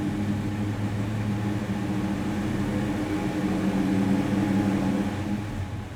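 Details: 1973 Plymouth Duster, 360 cid Mopar V8 with aluminum Pro Comp intake, 833 4-speed manual: deep lumpy rumble at a steady even beat after start-up, no knocks or ticks; normal engine running.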